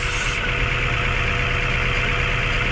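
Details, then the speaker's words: Mazda 3 after top overhaul, idle vibration unchanged after disconnecting and capping the hydro vacuum line at the intake: steady idle with a low shaky throb and faint uneven knocking; injectors, coils and plugs tested fine, cause unconfirmed, compression test next. "hindi pa rin nawala yung vibration mga boss Ayan sobrang lakas pa rin ng vibration"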